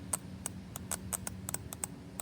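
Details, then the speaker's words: Lexus SC400 automatic transmission shift solenoid bench-tested after cleaning ATF residue with electrical spray: crisp sharp clicks about four to five a second, firm and clean; both solenoids judged good, transmission shifting fault still undiagnosed. "And the click does sound a lot more strong or stout, I guess. So, so, um, yeah, I I would say both of these solenoids are good."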